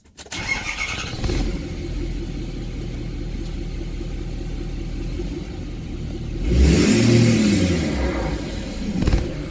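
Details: 6.7 Powerstroke diesel just flashed with SCT X4 race tune, first start: fires quickly, settles to a steady idle, brief rev gives a clean rising turbo whistle; sounds normal and healthy.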